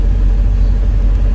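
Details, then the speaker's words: 2003 MerCruiser boat engine, running about 15 minutes after refueling empty tank (28 gallons in 30-gallon tank): deep even rumble, no misses, knocks or surging; fuel gauge float suspected bad. "and it's been running for like 15 minutes"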